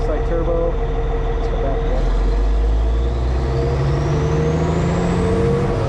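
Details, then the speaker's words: Cat 657E scraper, Caterpillar C18 diesel after repair of oil loss from failed air compressor, revving from idle (71 psi oil, 20% load at idle): turbo whistle rising with revs, audible turbo bark, smooth climb, no knocking; normal rev-up. "Oh yeah, you can hear that turbo bark."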